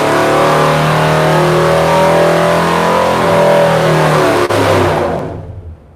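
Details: 1956 Chrysler FirePower Hemi with double valve springs and mild performance cam, revved 3000 to 5100 rpm: steady hard pull, then note breaks up and falls away abruptly near top; misfire-like breakup, cause undetermined.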